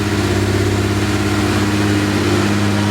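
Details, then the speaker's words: Porsche 964 Turbo RWB built engine on new Haltech ECU, revved: uneven lumpy beat with cylinder 6 not working; leaking exhaust valve on number six. Cylinder misfire. "We have been battling this problem with cylinder 6 not working."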